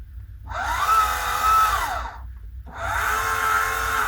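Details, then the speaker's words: Orion XX14g GoTo Dobsonian telescope elevation motor after power supply, SynScan button and firmware fixes: two smooth whining runs about 1.5 seconds each, pitch rising then easing evenly, movement starting immediately; healthy slewing drive. "it's looking good and you know what's interesting on elevation as soon as you hear the motors turning you see movement"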